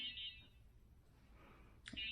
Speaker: It's probably showing a low battery. I know it.